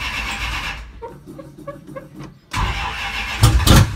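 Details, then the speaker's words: Carbureted Roadrunner V8 after sitting about 4–5 months, with fuel just reconnected. Slow, uneven cranking, then it catches, roars and runs on its own; fuel may be slow to reach the carburetor. "It's been like 4 or 5 months probably. Might take a minute to get some fuel up to the carburetor."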